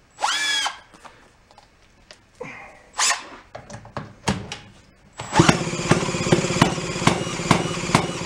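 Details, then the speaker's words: 1937 Sears Waterwitch 2.5hp outboard, revived after about 60 years in a shed: after some clatter it catches and runs rough with sharp pops about twice per second. The timing is suspected to be set too early ("too poppy"). "let's uh i'm gonna give her a little bit more and i'm gonna keep bumping that it sounds like it's a little too early like too poppy"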